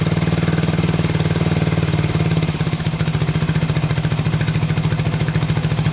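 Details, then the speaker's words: 1987 Honda 250X after new valves, rebuilt top end and new coil replacing a broken coil wire, first start after many kicks with idle turned up: even low thumping idle settles after a small wobble; normal idle. "so oh so close oh we got her oh man sounds good"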